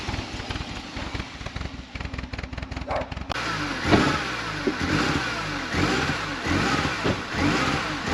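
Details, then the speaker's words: Manual supercharged Mini Cooper reassembled after water pump and cooler line work: an uneven, stumbling idle with skipped beats and popping; a vacuum leak was suspected, but the throttle body butterfly was later found not seating closed. "Because I think it sounds like a vacuum leak. Yeah, I'm gonna leave that so I can, because I have this plug out for burping it. I'm gonna start it, even though it runs like crap."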